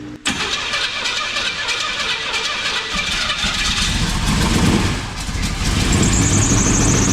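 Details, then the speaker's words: Chevy K10 with a newly built, fully rebuilt engine, first start, camshaft not yet broken in: catches, then an uneven, lumpy idle with a raspy puff. The header leaks between tube and flange; owner suspects a crossed plug wire or bad distributor cap. "It's leaking between the header and the flange, but it seems like it's got a cross wire or something. Something ain't right about it."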